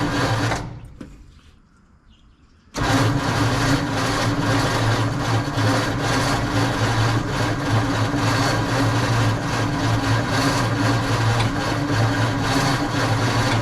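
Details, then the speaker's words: 1948 Ford F5 truck, dormant nearly 30 years, cranking with starting fluid after distributor turned to adjust timing and choke opened: lumpy, labouring turnover with a heavy knock about four times a second; a new knock whose source is unknown. "I don't know what that knocking is That Knocking is a new noise I don't know what that's coming from"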